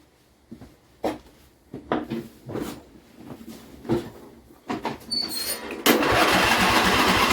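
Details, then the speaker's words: John Deere L120 mower with choke on: about seven short cranking bursts with no firing; starts only with starting fluid or gas poured in the intake, pointing to carburetor problems. "This thing has a really hard time starting. Actually, maybe I'll do a startup. I can't even get it to start without either spraying it with starting fluid or pouring a little bit of gas down in the intake."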